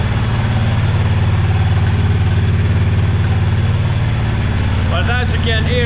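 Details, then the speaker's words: Honda VTX1300R motorcycle, started after sitting two months, idling in a garage on the stock exhaust before muffler drilling: steady even low thump, soft quiet exhaust note, no knocks or misses; normal healthy stock idle. "so as you can hear it's not very loud of course we're in a garage when I'm outside uh uh we can easily talk beside the bike when it's running and it's not a problem"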